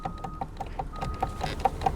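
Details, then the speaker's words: Rapid even scraping ticks, about five a second, with a thin whine over a quiet motor on a Honda CG Titan 125 converted to electric; front disc rubs, wheel locks, owner suspects a seized caliper piston dragging the brake. "Lihat , rodanya terkunci di sini. Kenapa? Lihat. Lihat, lihat, ini mengerem, lihat. Wah, kawan, ini kacau, kawan. Apa yang terjadi di sini? Wah, kawan , ini mengerem sendiri."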